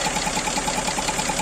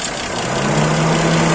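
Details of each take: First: GAZelle Business with Toyota 5VZ-FE engine, warm idle: quick, light tick about ten times a second; owner suspected an air leak after the throttle, traced to a valve. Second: GAZelle Business with a Toyota 5VZ-FE engine after the knock was fixed by refitting a slipped-off hose on a valve: a smooth, even idle with a steady low hum and no ticking.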